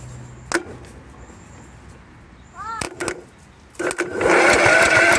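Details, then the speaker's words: Free roadside riding lawnmower, 20 hp, 425 twin cam, with a no-crank problem: a few clicks and a pause, then the engine catches and settles into a steady run after jumping across the fuse; dying suspected from the fuel solenoid; fuse in the starting circuit needs replacing. "that dying is probably the fuel solenoid i don't know how this thing's really wired or that fuse could came loose yeah the fuse can't live all right so i need a fuse"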